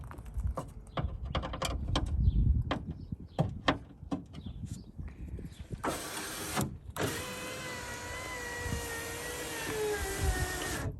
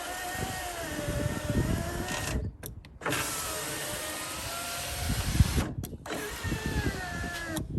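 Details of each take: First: 2002 Suzuki XL7 passenger window after regulator replacement: after clicks and handling, motor runs about five seconds with an even whirr, no binding or grinding; window travels normally. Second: 2002 Suzuki XL7 window regulator replacement, motor test run before the bolts are fully tightened: the window motor hums with a wavering, straining pitch as the regulator binds from misaligned glass in its channel.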